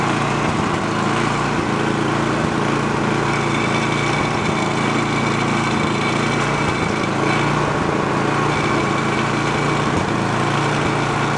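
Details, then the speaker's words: Free roadside snowblower started choked on fresh gas: the small engine drifts up and down in speed about once a second at idle; the carburetor is hunting from a dirty idle circuit, and the fix planned is removing the idle screw and blowing out the jet. "carburetor is hunting. The idle circuit is dirty. That's what's causing that."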